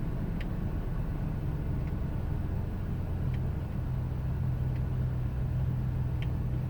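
Low, steady idle rumble with faint sharp ticks roughly every second and a half and a slightly uneven beat; rough idle, cause unknown.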